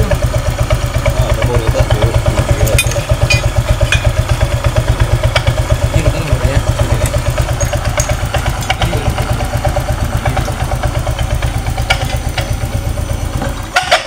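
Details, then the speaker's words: Honda Vario 125 scooter at idle after a faulty CVT reassembly (ring fitted wrongly): a thin, steady squeak rides over the even putter, sharpest at first crank and at shutdown; CVT squeak. "nah ketika mati pak ketika mati ini suaranya lebih keras awal pertama kali dinyalakan awal pertama kali muutar poros engkol Suaranya sangat nyaring dan ketika dia mati suaranya nyaring juga Pak"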